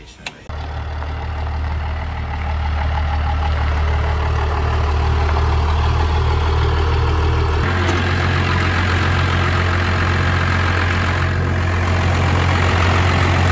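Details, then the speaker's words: 12-valve diesel truck engine with a rebuilt long block, idling with a deep steady beat but a faint uneven miss; misfire. "we tighten that ground up and it got 95 better but i could still tell there was a a miss a little imbalance"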